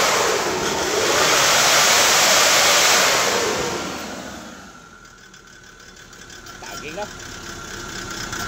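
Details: Kia Bongo III J3 Euro 4 diesel with misfire, vibration and black smoke; codes P0501, P0650, P0685 also stored. Revs swell then settle to a rough uneven idle with knocking beats; injectors found bad, mainly acting up at high rpm.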